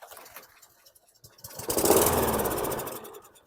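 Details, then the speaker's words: 2004 Toro Recycler GTS 6.5 self-propelled mower, 195cc LV195EA engine, which still needs a carb clean: it catches on the pull and settles into a steady, even beat of about four firings a second. It runs smoothly, and the earlier clanking is blamed on a loose blade. "off that sounded so smooth I was so worried when it was clanking the other day but I figured it was that blade being too loose so I be this thing sounds fantastic it sounds so good"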